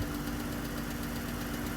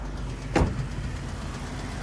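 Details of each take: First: Jeep Wrangler 3.6L, manual, after replacing spark plugs for a cylinder 1 and 3 misfire traced to a dead and a weak injector: runs well at idle with a faint quick ticking, most likely a rocker arm on one side. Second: Jeep Wrangler 3.6 V6 manual idling after repairing cylinders 1 and 3 misfire (dead/weak injectors, bad spark plugs replaced): steady even rumble, no misses; slight ticking, likely a rocker arm.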